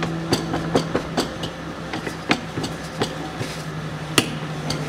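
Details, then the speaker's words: 2005 Chevrolet Niva 4x4, rear driveshaft turned by hand with car raised: sharp, irregular crunches and clicks from a worn universal joint with a needle bearing poking out under the seal, before replacement. "вот такие вот хрусты щелчки это как раз от нашей крестовины четко слышно четко щелкает"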